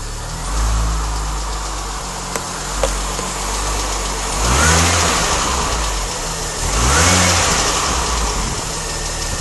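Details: Mini Cooper S petrol engine idling with two short revs: light, fast ticking or tappety noise over the hum, seemingly around the timing chain area, heard mainly from inside with the window open; source not pinned down.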